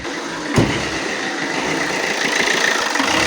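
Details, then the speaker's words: Alfa Romeo Giulietta 1.6 MultiJet diesel: catches and settles into an uneven, unsteady idle that comes and goes; the roughness persists with the EGR tested, so the EGR is ruled out; fuel filter or high-pressure pump suspected next. "which means the problem, it is not on the EGR. Sometimes it stays good, other times it is not, so it comes and goes."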